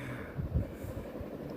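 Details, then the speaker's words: Three-bladed metal ceiling fan running forward on high speed after a loose wire in the top box was reconnected: a soft, pulsing whoosh like a distant helicopter, with no rubbing or ticking. Normal running at high speed. "sounds like a helicopter."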